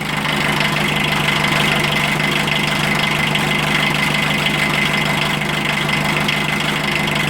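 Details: 1980 VW Rabbit MK1 1.5L diesel just after timing belt replacement, belt tension possibly a little tight: steady, even idle with the usual light diesel clatter, no misses or knocks; engine sounds healthy.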